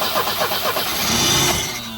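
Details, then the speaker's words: Volvo 745 Turbo that sat after a collection owner's death: quick rhythmic cranking with a few attempts to catch but no idle; cranks but won't start even with the fuel pump jumped, coil showing about 11.9 V. "why won't it run huh why won't it run fuel pump even jumping the fuel pump still doesn't run"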